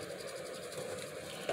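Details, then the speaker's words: ReVent condensation-sensing bathroom exhaust fan, running normally: faint even hiss with a slight high whir, no rattle or hum. Quiet yet strong enough to stand a plastic bag upright. "okay so it is you know uh pretty strong fan now like I said see you can't hear that that's amazing to me cuz when you're in the bathroom and you're doing your business all you you don't want to hear that you know like an airplane taking off so I like these just for that"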